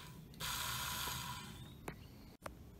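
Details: BMW S85 (M5/M6) throttle actuator DC motor, 2005 M5 unit, bench test after knocking out carbon: brief high-pitched whir with gritty, uneven buzz on spin-down; owner suspects the motor itself is bad, fitting a worn bearing.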